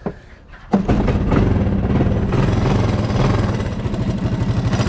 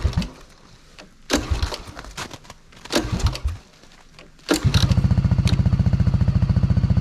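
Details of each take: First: 1985 Honda ATC200M three-wheeler, started on choke: quick light clatter over the exhaust beat, top end noisier, owner suspects it needs a valve adjustment; pull start may rattle and exhaust gasket needed; top-end ticking. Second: 1985 Honda ATC200s three-wheeler at purchase, running on choke: after handling noise the single catches and settles into a quick, even putter of about three and a half beats a second. Nice and quiet, healthy normal idle.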